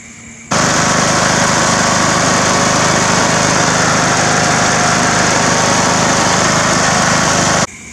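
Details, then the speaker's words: Old Craftsman riding mower after carburetor cleaning and fresh gas: starts into a steady even drone holding speed without surging or stumbling, then cuts off cleanly; now runs properly. "i came out last night i put the engine cabin back on and this thing runs now"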